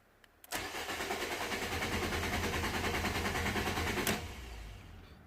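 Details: 2015 Fiat Panda 1.2 petrol, auction car after a reported electrical power cut, immobilizer light always on and immobilizer codes stored, blown fuse replaced: steady cranking about three beats a second for 3.5 seconds, never catches; crank no start, immobilizer active.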